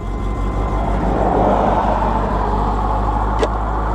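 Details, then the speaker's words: Pontiac Sunbird convertible on a test drive: it fires right up but then spits and sputters with a rough, stumbling idle, uneven low thumps and missed beats. "that helped some not a lot but spitting sputtering yeah she's not happy"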